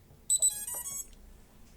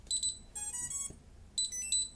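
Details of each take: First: STM32 drone flight controller booting with transmitter off: short high chirps in a quick repeating pattern from the board buzzer, alerting that no radio link to the transmitter is established. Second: STM32 drone flight controller (MH-FC V2.2) booting with throttle stick and SwA in safe position: short high double chirps, a rising run of tones, then more double chirps; normal startup beeps, main loop running.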